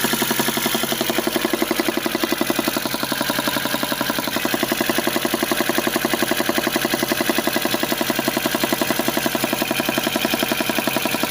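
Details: VAZ engine at cold idle: an even, sharp knock of about four beats a second that disappears once the engine warms to about 50°; cause unknown.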